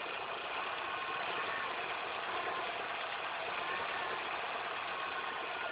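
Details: Car engine after all belts, the timing chain belt and the tensioner were replaced: even idle carries a dense, hissy rushing noise with faint whistling; abnormal noise, cause unclear.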